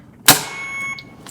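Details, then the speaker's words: BD Alaris 8100 large volume pump module: door opening triggers a sustained high electronic alarm tone that stops and restarts, with red alarm light; resolved by closing the door and pressing restart. "Let's say the door accidentally, opens you're going to hear the alarm and it's also going to show a red light meaning it's in the alarm mode."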